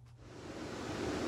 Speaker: this is what a kitchen hood usually sounds like it's very loud in order to have a conversation with your friends and family as we gather in our kitchens we have to overcome this noise